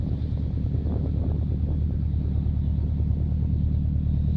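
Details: Subaru Impreza WRX GC8, EJ20G turbo: deep regular knock about three per second over a low rumbling idle, present for about three years; owner suspects a connecting rod, others say forged pistons; cause undetermined.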